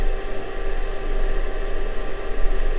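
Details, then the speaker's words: TP3006D bench-top lab power supply, warm: constant loud airy cooling fan whoosh with low hum, no rattle, loud enough to drown speech. Normal fan running. "You can barely hear me over the fan. Alright, I'll just talk loud."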